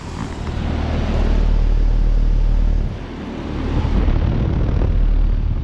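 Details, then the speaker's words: 2022 Heil Sentry 15 3-ton heat pump with LG scroll compressor, starting in cool mode at 67°F: deep hum swells after startup with even airflow rush, no knocks or rattles; running normally. "Okay, this thing's actually running in cool mode. The air is warmer."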